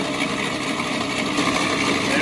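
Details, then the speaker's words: 1941 Plymouth Special Deluxe flathead, first run in 50 years after freeing stuck valves, oil pressure showing on gauge: steady, even busy whirr and clatter with no knocks or misses; sounding healthy. "there we got oil pressure on the gauge we're well on our way"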